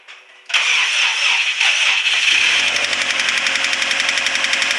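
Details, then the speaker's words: Subaru STi EJ25 with rebuilt Precision 6262 turbo refitted, new timing belt tensioner, cams retimed, no coolant or radiator; starter whirs then fast uneven metallic clatter while cranking, owner fears bottom-end damage, unconfirmed; abnormal cranking noise. "Making some funky noises. Not sure what we got yet, but I'm afraid we may have some bottom end"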